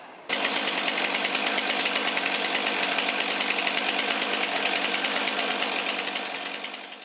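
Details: Commercially used Stihl MS362 chainsaw after misfire and backfire repair and air filter cleaning: a steady, high-revving buzz holds evenly for several seconds with no stumbles, pops or misses; the saw is running clean.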